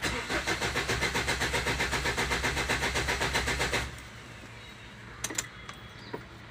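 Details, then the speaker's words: Ford Endeavour cranking, no-start: steady even cranking about four turns a second for nearly four seconds, never catches; rail pressure won't exceed about 1400–1900 psi at cranking, too low, due to cylinder 4 injector. "so now let's crank it i'll crank it and we'll see doesn't go above 1400 i guess max 1900 psi"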